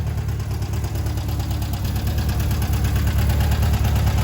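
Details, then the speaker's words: 1978 VW Bus 2.0L flat-four after renewal, all resealed, converted from fuel injection to carburetor with new carb kit, timing set, valves checked; steady even low rumble, smooth regular pulse, no knocks or misses; normal healthy idle, a good runner. "Engine's all resealed. Timing set. New carb kit. Bad little 78. A good runner."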